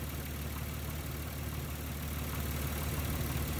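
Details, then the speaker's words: 1994-1999 Nissan Maxima V6 idling after replacing a bad ignition coil pack that caused a misfire: steady low rumble with an even beat, no stumble or skipped firing. Smooth idle, problem solved. "I mean, you probably hear more things, but our problem has been solved."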